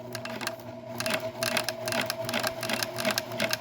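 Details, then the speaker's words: PFAFF Creative 1471 sewing machine after deep cleaning, adjustment, new needle, battery and bulb: brisk even needle chatter about three stitches a second, light motor hum, no knocking, no longer running rough; normal sewing. "and it's not running as rough as it was it was really annoying and really rough"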